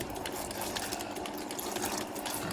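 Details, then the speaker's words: Toyota Altis with factory CNG system (stumbling, shaking, stalling on gas, gas ECU lock alarm): gas injectors pulsing on the flush bench, fast even ticking with no hiss, no leakage found; injector 2 earlier sounded loud, possibly faulty. "ปัญหารั่วซึมดูแล้วไม่มีนะคันนี้เดี๋ยวเราล้างกัน2ครั้งนะครับ"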